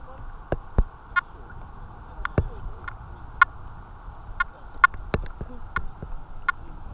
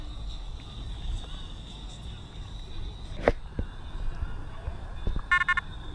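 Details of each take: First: Detector Pro Pirate metal detector switched on with the coil in saltwater, which it is not made for. Chatter was heavy at discrimination zero; at discrimination 7 the threshold is mostly quiet, with scattered short beeps over splashing water. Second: Detector Pro Headhunter Pirate, not made for saltwater, in saltwater with discrimination at zero; a faint steady high tone with scattered crackles and bursts of rapid beeps once the detector is moved; saltwater chatter.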